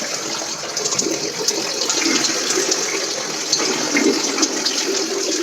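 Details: Sink test of new waste plumbing for an upstairs macerator toilet: even rushing water through the pipe with a steady hiss, no gurgling, glugging or pump strain; the drain is flowing freely, though a small leak is possibly mentioned.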